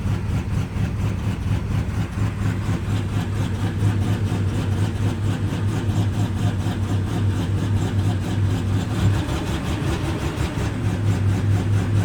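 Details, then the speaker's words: 53-year-old Plymouth Slant Six at about 12°F, cold: deep, uneven, loping idle that loads up. The cheap aftermarket choke unit sticks and keeps the choke closed, so it runs rich. "and what happens is it just keeps the choke closed so that's why i was doing all that blah blah blah blah blah blah stuff"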